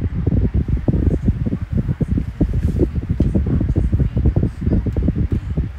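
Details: Kool-Flo SFC2-300B 12-inch three-blade high-velocity fan, new with oil still breaking in: low fluttery rush of air, powerful but quiet, no rattle, tick or scrape; even spin, normal running.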